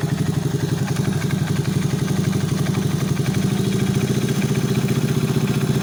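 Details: Alpha 110 moped engine rebuilt with new cylinder head, complete cylinder-piston group, timing chain, hydraulic tensioner and clutch assembly; at idle a sharp regular metallic knock about four per second, locked to engine speed; engine knock.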